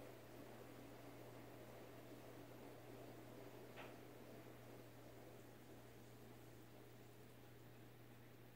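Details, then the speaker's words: Emerson 1895 Series 52" ceiling fan CF4352PB04, KB-55 stack motor, mid-late 80s, low speed in reverse: soft steady low hum with faint air hiss, no ticking or wobble, air felt; normal running on low speed. "it goes about the same speed I think in Reverse this looks about the same maybe a little faster I don't know I can feel air definitely from it"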